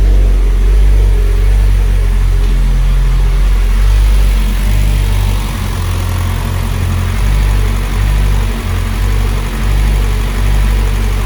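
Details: Mitsubishi Evo X 600bhp turbo petrol build, first start after fitting the timing chain and replacing the turbo feed banjo bolt: steady, smooth low idle with an even firing beat and no knocks or misses. Earlier lumpy, rich running was blamed on the 12V hardwired fuel pump.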